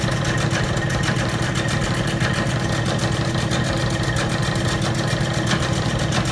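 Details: Old Bennett 541 gas pump motor, stored in a barn for many years, running after being powered up: loud, even motor drone with a slight steady pulse and no grinding or squeal. The pump motor runs normally.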